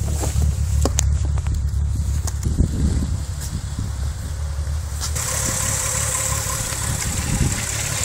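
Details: VW VR6 12V at idle, misfiring on cylinders 2, 3 and 6 (mostly 3 per VCDS counter) despite new coilpack, plugs, wires, coolant temp sensor and purge valve; uneven stumbling idle with lumpy low thump, engine shakes, check engine light blinks; runs smoothly when driving; cause not found.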